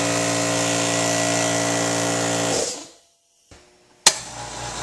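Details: Air compressor in side-by-side noise comparison of old pancake compressor and California Air Tools 2010A ultra quiet model: loud steady motor-and-pump drone with even buzzing tone that cuts off cleanly; running normally, just noisy.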